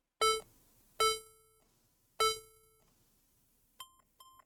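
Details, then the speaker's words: HP laptop with no display: three long beeps then two short beeps after trying different RAM; code persists, bad motherboard, data to be recovered from M.2 SATA drive. "so obviously it's not working we have three beeps again and two short beeps so it's not looking good"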